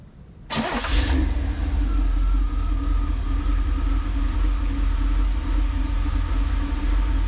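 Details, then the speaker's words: 1988 Camaro IROC Z28, 350 TPI, 700R4, EGR disconnected: cranks, catches quickly and settles into a steady, even idle without hunting; on this restart it was ready to drive in under 30 seconds, with no intermittent low-idle stall. "It's good. It's ready to drive. I know I can drive it. And that took less than 30 seconds."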